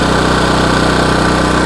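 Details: Budget small power generator, no sound deadening, before plugging in a 1000 W power tool: steady, even single-cylinder hum with constant pitch, no misses or knocks; idling normally, louder than the owner's 4,200 W and 2,300 W generators.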